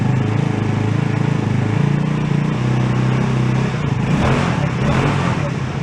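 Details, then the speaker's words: Two-passenger CVT ATV, about 150cc, after sitting, serviced with fresh fuel, air cleaner loose, warming a couple of minutes: even low putter at idle, no misses, pops or knocks; idle probably needs adjusting. "Probably got to dial in that idle a little bit too, but that's been running a couple of minutes."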